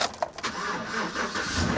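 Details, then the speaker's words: Salvage-auction pickup, suspected 5.3 V8: short crank, then the engine catches at once and settles into a steady, even idle with no misses; a clean, healthy start, though a head gasket was later suspected. "Oh yeah. Oh yeah. Runs like the day she was made."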